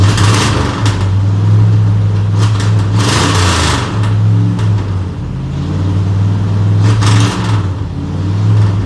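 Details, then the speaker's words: Engine with vacuum-secondary Holley carb, timing about 20 degrees without vacuum advance: revs rise then sag and nearly die; persistent hesitation despite two rebuilds, power valve, jet and accelerator pump changes; carb replaced with a Holley 4160. "Hell, this thing, I think I'm set at like 20 degrees right now, and without the vacuum advance, and it's still got this bad hesitation. But anyhow, bring it up a little bit. You hear that? Hear how it dies?"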